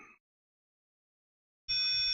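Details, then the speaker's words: TerraMaster U4-500 NAS powered on with the reset button held: a single half-second high electronic beep after silence; reset-mode tone whose meaning is only guessed, a higher beep expected when done. "Deep. Yeah. Then I'm gonna let it go. Then we're gonna hear a higher pitch beep, which I guess means it's done."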